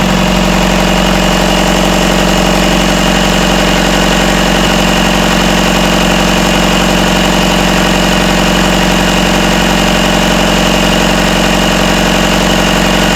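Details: Rebuilt Isuzu 4BD1T diesel in Hitachi EX120-2 excavator, first start, about 1250 rpm, after tightening rattling rear bolts: steady, even idle with smooth regular beat, no rattle or knock; sounds healthy.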